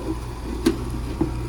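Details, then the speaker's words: Noisy outdoor AC condenser unit on a warranty call, after repair: a steady low hum with no buzz or chatter, only a couple of faint ticks; normal running. "everything looks good in this unit let's turn it back on and put the cover on and we can get out of here all right sounds much better"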